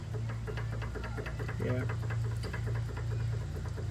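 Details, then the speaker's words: Volvo XC90 2.5L turbo, car lifted with suspension hanging and worked by hand: irregular dull clunks with low hum behind; passenger-side sway bar end link very loose at lower end, only audible unloaded; replacement cured rough-road noise. "so yeah this is the sway bar end link and this is what's making the noise i can't get the view here"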